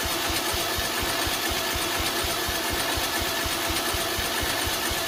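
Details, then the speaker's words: Lawn mower small single-cylinder engine, after carburetor, solenoid and starter linkage work, on choke: steady even thumping pulse with a bright exhaust buzz, firing cleanly. "should be getting fuel sounds like it has compression excuse me uh it's on choke starter linkage appears to be working so we will see"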